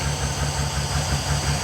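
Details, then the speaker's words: Auction V12 car with valve cover leaks on the left bank; low idle with an uneven, lumpy pulse under the hum; runs better but not great, cause unknown. "it definitely runs better but not great"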